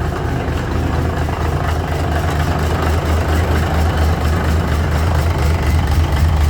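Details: Cummins NHC250 diesel in a 1980s M818 military truck, first test run after adjustments to cure an earlier popping noise: deep, steady idle with an even low rumble and no popping or misfire; oil pressure 60 psi, running healthy.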